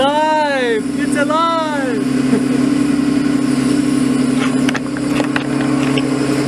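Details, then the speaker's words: Nissan 240SX fitted with RB25DET straight-six, first start after swap, no coolant in radiator so run only briefly; smooth, steady idle hum at one even pitch, no misses or knocks, running cleanly — normal idle. "as you can hear it is running let it run for air too long because I don't have any coolant or anything like that in the radiator"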